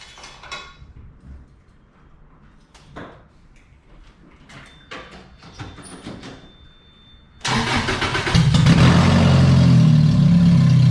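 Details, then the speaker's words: Lotus Elise that suddenly turned deeper at a red light: loud, deep, blatty idle far rougher than stock, like a straight pipe; owner suspects a failed header gasket leaking exhaust. "i was at a red light and out of nowhere it sounded a little deeper and i got i got on it after that and it just sounded like a straight pipe single cam honda or something"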